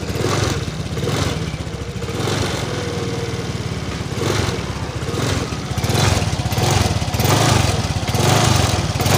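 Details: Suzuki Nex F1 fuel-injected scooter with weak ignition and hard starting, long used without a battery, tested after fitting a new battery. The single cylinder fires and keeps running, idling fairly steadily with a mild surge about once a second.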